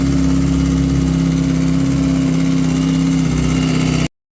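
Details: 2008 Kawasaki ZX6R with aftermarket headers at idle: steady inline-four with a light, quick ticking around the cam chain tensioner area; owner attributes it to the cam chain tensioner, to be repaired without an aftermarket part.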